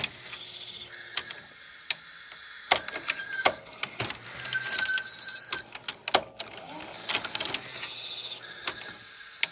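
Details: Panasonic NV-FS200 VCR tape mechanism squeaking in high, thin chirps and clicks while failing to play the cassette.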